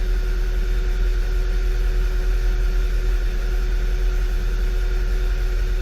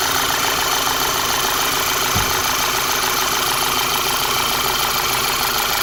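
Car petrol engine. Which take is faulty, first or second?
first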